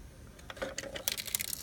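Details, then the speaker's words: SL100W: irregular light clicks and tinny rattles in quick bursts, like something loose inside the casing; owner suspects a loose transformer, source unconfirmed. "What's this cluttering sound? Look at it. Hear it? Like a transformer got loose or something."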